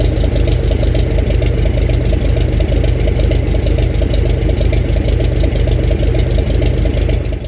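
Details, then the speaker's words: 1965 Gardner 6LXB 180 six-cylinder marine diesel on a temporary cooling system, test run after restoration following failure at 80 hours, about two hours' running: deep, even firing with no knocks or misses, then clean shutdown; healthy running. "Okay, so we've had the engine running for about 2 hours now, and I've just stopped it."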